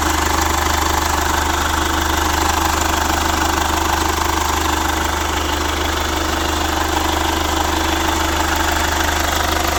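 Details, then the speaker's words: Chevrolet Captiva FL diesel, revived after sitting 6 years, supply pump repaired, no exhaust fitted: loud, raw, steady idle at about three firing pulses a second, running evenly and healthy. "Coba starter Bolo. Mantap. Nah, ini knalpot belum kita pasang."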